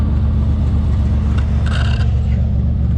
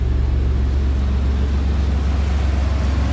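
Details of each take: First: S10 Blazer 4.3 L V6 with possibly glasspack-type muffler, new spark plugs and wires checked; deep, uneven lumpy rumble while revving, cylinder miss caused by the faulty spider fuel injector, not the wires. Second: Smooth, even idle rumble with no skips, shakes or misses on an S10 Blazer after fixing the spider injection and fitting injectors to the correct cylinders; no misfires, no check engine light.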